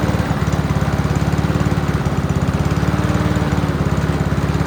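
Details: Free Honda walk-behind mower, first start before major work, run on choke with fuel in the carb bowl: quick even single-cylinder putter holding steady speed without misses; healthy, still needs minor tune-up (plug, throttle cable, fuel lines).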